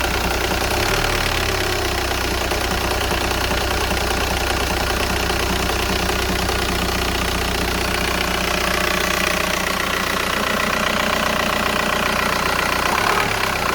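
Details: VW Golf 4 1.9 TDI 110 hp, diesel clatter with uneven shaking as revs settle after a blip, also at stops like traffic lights; owner unsure whether injector or flywheel is the cause.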